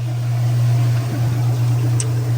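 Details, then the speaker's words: Direct-drive Kenmore 600 washer (110.29622801) after replacing slipping clutch and leaking center seals: spin after draining is a steady, even low hum at one pitch, no slipping surges or knocks, no water slinging; new clutch working. "Lookie there. New clutch doing its job. Come on now. There you go. And no water slinging."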